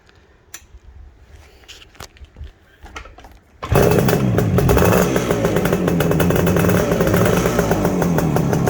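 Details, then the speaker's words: 1969 Suzuki T250 two-stroke twin, ground-up restoration, fitted with Higgspeed XP expansion chambers. After handling clicks it catches and settles into a crisp, even two-stroke ring at steady revs: healthy, normal idle. "now's the time to see if it'll go or see what it sounds like should i say with these xp chambers on"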